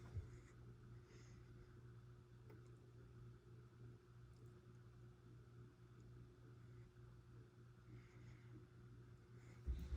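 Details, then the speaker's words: Hampton Bay Oakley ceiling fan on medium speed, some blades bent in transport but no wobble: faint steady low motor hum under quiet airflow, no knocking; slight hum judged not too bad, cause uncertain. "Again, has a slight hum, but it's really not too bad."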